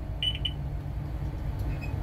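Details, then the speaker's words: Diesel bus with engine running: short high beeps in brief bursts over low rumble as the side emergency exit alarm triggers though the exit is shut; owner suspects a rubbing wire, not the plunger; cause unconfirmed. "so that I can turn off the bus without the alarm going off, because somehow the bus thinks that the emergency exit's open."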